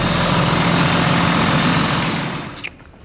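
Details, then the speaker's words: Roller tractor diesel with electric fuel primer, no hand primer, started after the glow plug light came on; the cause of its earlier trouble is unknown. Steady, even diesel clatter at idle with no misses, then shutdown; it started easily. "Here we go. Well, that was easy. Way easier than I thought it would be."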